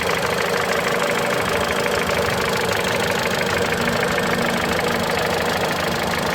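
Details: Mitsubishi Lancer X, 4B10 1.8 engine with CVT, idling: an irregular light knocking of about three per second runs through it; knock occurs only at cold idle, source unclear.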